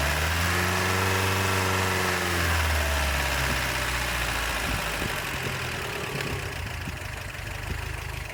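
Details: 1988 Toyota Pickup 22R carbureted engine revved after timing chain, water pump and oil pump replacement, having sat overnight; coolant and oil good, no leaks. Pitch climbs smoothly on a blip and settles back, steady and even with no knock or rattle: normal revving.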